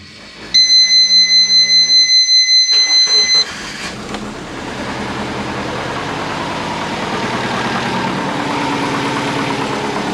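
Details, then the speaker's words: Twin-turbo compound Subaru Forester with TD05-20G, after sealing the exhaust: chimes, starter cranks, engine catches into a steady, even idle with no ticking or puffing; normal idle, leak fixed. "that's much better how can you knock all right guys she's running"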